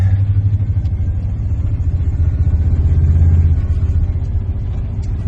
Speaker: Try not to be too obnoxious. She's running pretty good. Got oil pressure, it's got temp.